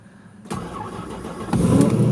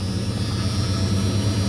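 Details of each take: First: Ford Focus with about 171,000 miles, cold-weather start: roughly a second of sluggish cranking before it catches and settles into idle; battery weakened by the cold is dragging the starter. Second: Truck, V8 per the clip, with about 135,372 miles, cold-weather start: clean start, then a deep, steady, even idle with no knocks or stumbles.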